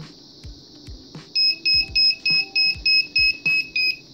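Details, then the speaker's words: Arduino Bluetooth robot with an HC-05 module: on losing the Bluetooth connection the buzzer gives a steady run of sharp high beeps, about three a second, and the robot shuts off its headlights and motors. Connection-lost alarm. "as you can see when the connection is lost it starts beeping and it turns everything off including the motors if they're running"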